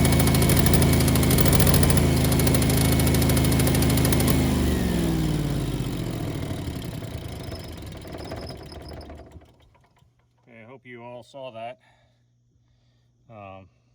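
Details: Home Generac generator started in manual after an oil change and air filter check, run about 20 seconds to circulate oil: steady, even engine drone at constant speed that winds down smoothly after shutdown, no knocks or misses; runs healthy.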